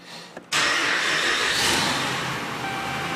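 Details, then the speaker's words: 2010 Dodge Ram 2500 Hemi after a used ECM was installed (VIN mismatch code). It starts quickly and idles smooth and even, with no sign of the earlier cylinder 7 misfire. "It does sound nice and smooth. And it would set immediately."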